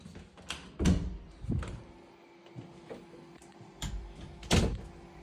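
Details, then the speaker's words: Bambu Lab P1S enclosed 3D printer: irregular dull clunks and thumps over a faint steady hum during startup calibration, loud but normal; afterwards mostly fan noise during printing. "I mean, you saw the first part. It was calibrating. It was loud, a little loud there."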